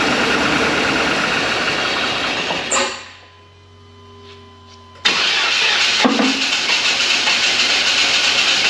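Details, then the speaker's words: 1999 GMC Suburban with serpentine belt removed (no water pump or fan running); engine runs rough, dies, restarts and fires unevenly with clunking; misfire, suspected ignition timing badly out after seeming to self-adjust. "that's fcking horribly out of time but I put it right back where it was yeah it's readjusting itself or something that's what it sounds like me timing cuz you actually hear clunking as it tries to fire"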